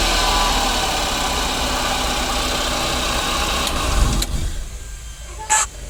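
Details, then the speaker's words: 2009 Daihatsu Gran Max engine, owner complains of noise on starting: steady droning hum over the idle, noisy and buzzing, which drops away after cutoff; tagged as a worn idler pulley bearing. "Jadi suara mesinnya seperti itu teman-teman. Jadi suara daripada mesin ini dia agak berisik dan dia mendengung."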